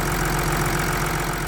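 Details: 2014 Audi SQ5 3.0 turbo diesel after repair and road test: smooth even idle with steady low beat, no misfire or knock, runs clean until switched off.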